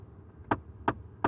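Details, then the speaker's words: 2010 Ford F-150 5.4 L V8, 77,000 miles, dashboard clicking when the heat control is turned all the way over; three sharp, dry clicks in a quiet cab that stop when the knob is turned back; skipping blend door actuator suspected, not confirmed. "There it goes. That happened when I turned it all the way over, and it won't go away until I turn it back to about there."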